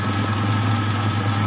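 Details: Toyota Kijang Super after repair of a porous cylinder head and overheat-worn pistons that caused hard starting and rough running. It now holds a steady, even, smooth idle with no knocks or misses; plugs are brick-red and the test drive was fine. Healthy idle.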